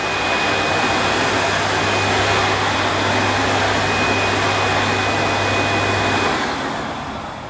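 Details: Panasonic MC-E862 bagged cylinder vacuum, new-in-box, demonstrated on deep pile carpet: steady, even suction roar with constant low hum and faint high tone, spooling down at the end; good performer, relatively quiet, normal running.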